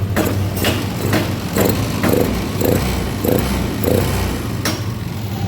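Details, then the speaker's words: Yamaha Lexi scooter brought in for hard cold starting with no engine check light, idling after service: low, steady single-cylinder putter with soft even pulses; idle RPM below two is judged normal. "If the initial gas opening is like this when the standard is like this, when stationary or when idling this is normal because it is below two for the RPM speed."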